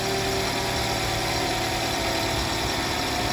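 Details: 2013–2018 Toyota RAV4 after alternator replacement, charging confirmed: smooth, steady idle hum, no whine, knocks or misses; engine and charging system normal.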